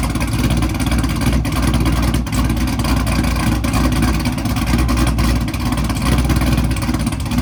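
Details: Car sitting unused through cold weather, after a hard cold start and fuel pump priming: deep, even rumble at a steady pace with no misses, knocks or ticks; healthy cold idle.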